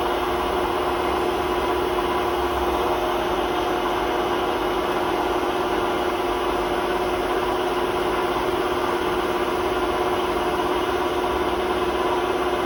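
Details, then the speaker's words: Hotpoint WMA32 washing machine with practically worn-out drum bearings, drum rubbing the bearing seal, before bearing replacement: loud steady roar with rough grinding undertone and squeak during fast final spin. "So the bearings are practically gone in the machine, so we've had to order some new ones. So this will be the last video with squeaky bearings."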